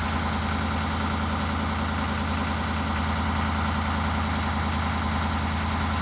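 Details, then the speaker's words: Ford 6.7L diesel just cold-started at -20°C (feels -24°C), not plugged in, warming up: steady even clatter at a raised fast idle, pluming exhaust, no knocks or squeals; normal cold-start fast idle. "Oh my goodness, hurry up. I gotta get inside, this sucks. Look at how fast it's running though."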